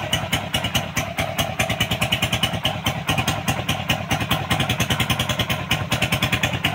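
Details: Suzuki Raider single with top-end clatter traced to a loose cam chain from a deeply worn guide groove, after adjustment: steady idle with an even pulse of a couple of beats a second and no top-end clatter. Cam chain now quiet.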